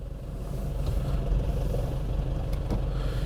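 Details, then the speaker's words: Nissan Frontier diesel pickup pulling away smoothly after clutch replacement: steady low rumble, no chatter, squeal or grinding; earlier pedal noise traced to the clutch disc, not the dual-mass flywheel. "resolveu ficou macia O ruim do aparentemente parou ainda não escutou mais Tudo indica que era o disco da embreagem não era volante de Março"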